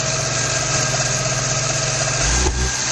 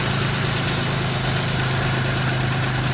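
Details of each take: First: 1994 Geo Metro four-cylinder during drivetrain restoration: steady run with a single pop back through the intake and no real pickup; the timing mark shows the distributor is not advancing the timing. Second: 1994 Geo Metro four-door during drivetrain restoration, distributor timing advance being compared: steady even engine hum with smooth unbroken rhythm, no knocks or misses; normal idle.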